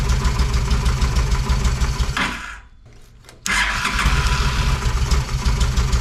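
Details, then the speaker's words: Honda Shadow motorcycle (possibly a 650) that sat almost a decade: runs briefly, cuts out about a second, barely catches again; accelerator pump spray weak, fuel starvation from clogged carburetor, needing cleaning and rebuild. "yeah she ain't spraying again so it's gonna be time for a good cleaning and rebuild"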